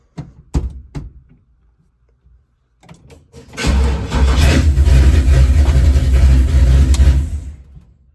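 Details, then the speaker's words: LS-swapped Chevy S10 after rewiring, fuel-pump ignition wires corrected: a few clicks and a thump, then the V8 catches and settles to a steady, deep, even idle; it starts. "It starts."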